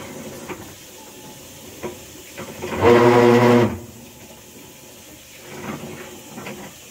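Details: Whirlpool Cabrio washing machine, quiet, then one loud, harsh, buzzing grind lasting about a second, caused by a failed, badly stripped actuator plate.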